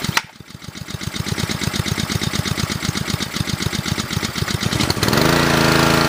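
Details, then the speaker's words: Ryobi pressure washer, Honda GCV190, after a new carb, governor spring, intake gasket, governor linkage fix, tune-up and idle-down cable adjustment: even putter near 2100–2200 rpm from the pullback feature, then a clean rise in speed; normal idle. "That's how it's idling right now. It's idling around around 21, 2200 RPMs right now because of the pullback feature on"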